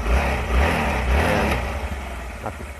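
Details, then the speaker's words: Suzuki GD110 single after replacing the regulator, fixing hard starting: starts easily and settles into a steady, even idle with soft low thump, no misses or surging; normal idle. "okay na okay na yung kanyang andar ito"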